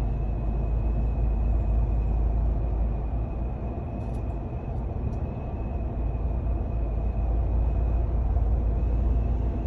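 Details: 2021 Ram 1500 TRX crew cab while driving: heavy low road rumble with a thin steady high whistle of wind leaking into the cab. Owner used painter's tape and is returning it to the dealer.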